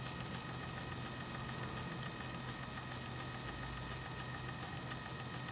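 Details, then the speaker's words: 24-volt 3D-printed gearbox motor under light winch-style load: even steady whir with constant high tone, no knocks or grinding; gear motor runs smoothly, repair judged a success. "ugh you can hear that but that's doing alright like it doesn't feel like it's in danger of breaking"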